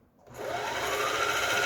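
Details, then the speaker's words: Juki HZL-12Z small low-cost sewing machine, bought used and broken, winding a bobbin after its internals were repaired: the motor spins up within half a second to a smooth, steady hum with a clean rising tone and no knocks. Normal bobbin winding. "가장 중요한 게 북실감기죠. 내부를 뜯어서 모두 이제 수리를 마치고 북실감기 우측으로 밀어줍니다."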